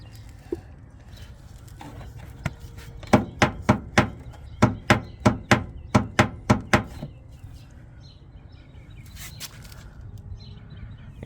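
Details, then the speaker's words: BC Racing BR series rear coilover, wheel off, suspension worked by hand: sharp hollow pops about three a second, heard on bumps and driveways, from the coilover shifting against its top hat; later reduced but not eliminated. "so you can see right up here against the top hat is where it keeps shifting and that's where the clicking sound is"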